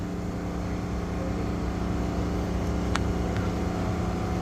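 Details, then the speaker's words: Toyota Corolla 1.6 with earlier misfiring and rpm hunting, after a coil change, air sensor connector fix and air pipe repair, confirmed OK by scan: a steady smooth idle with no stumble. Normal idle. "यह न की अभी buckle गाड़ी stable है माशाल्लाह बिल्कुल Evan है"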